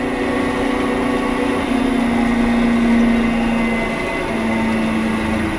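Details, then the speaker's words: Delta 14-inch band saw measured with a dial indicator: a steady motor drone whose tone wavers and slides lower as the motor frequency and saw speed are reduced; vibration turns erratic while slowing and its amplitude changes with frequency. "well look at that just by changing the motor's frequency and the speed of the saw and change the amplitude somewhat"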